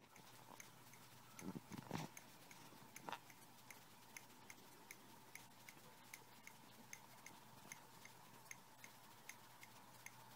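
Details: MacBook Pro 17 laptop, microphone moved around the case from front left corner across keys and speakers: sharp, evenly spaced ticks, about one and a half per second, over a faint steady electrical hum; intermittent ticking, cause unknown.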